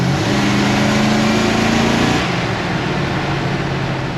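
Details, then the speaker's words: 1966 Ford F100 shop truck, 302 V8 with HEI and AOD automatic: V8 pulls hard under throttle as the 4-barrel secondaries open, then eases; an exhaust leak is also audible. "gets up and goes now. I hear the 4 barrels open. That's good."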